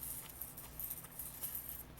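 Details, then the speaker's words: HP Pavilion 6735 computer, cleaned drive running: faint low hum with a light, uneven ticking rattle, something loose inside the spindle motor. Cause unclear; owner wonders if it is a balancing mechanism of the high-speed drive. "There's like something in there. Hear that? It's in this"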